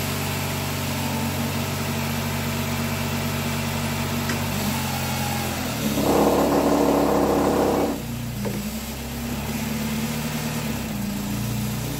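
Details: 2010 Nissan Cube with a replacement CVT, first start at idle: a constant high whine with a brief louder rush; nothing showing on the dipstick so more fluid is to be added; owner unsure if it's normal until warmed up and circulated.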